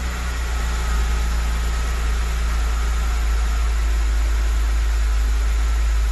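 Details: BMW 325i engine reassembled after a stiff, poorly lubricated camshaft let the VANOS cam rotate out of timing, Valvetronic refitted and set: steady, even low idle, smooth unbroken hum, no knocks or ticks; healthy.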